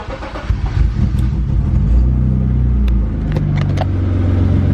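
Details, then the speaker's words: BMW E36 325i, 25 years old, sat abandoned in a hedge for 10 years, revived after its noise was sorted: engine cranks, catches quickly, settles into steady deep even idle with no rasp or blow; healthy start. "Now the paint's been sorted out, the front bumper's been sorted out, and the noise of the thing has been sorted out, I cannot wait to drive it."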